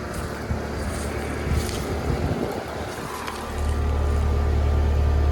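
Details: Outdoor AC condenser, either a 2003 2.5-ton Carrier 38CKC or a 2006 1.5-ton Comfortmaker. It kicks on about 3.5 seconds in and settles into a smooth, steady low hum. The startup and running are normal, quiet and sound good.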